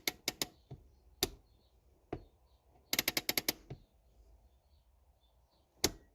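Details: Honda Accord handbrake partway through cable adjustment: ratchet rattles off about seven quick clicks in half a second on one pull; lever travels too far, cable too loose and needs tightening.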